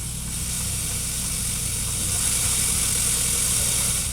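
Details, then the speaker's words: 2006 Saab 9-3 2.0t radio inside car: steady rushing hiss with no music, static fading and music returning; intermittent radio static worsening, cause unknown; outside temperature display also reading high. "just static still static so the static started fading and now i can hear music again it is a bizarre situation"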